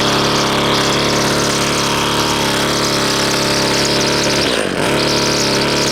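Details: Husqvarna two-stroke string trimmer restarted before repair: a buzzy idle wavers and nearly stumbles midway. High and low carb settings and idle are clearly off, and the air filter is clogged. Rough idle.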